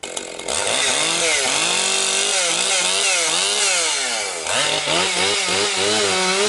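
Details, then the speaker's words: Husqvarna 262XP two-stroke chainsaw after rebuild, breaking in with compression up: screams and bogs slightly into each cut of low-grade pine, then clears cleanly. Strong, crisp pull; saw running healthy. "It's running really strong now. Now she's breaking in, it's really picking up power."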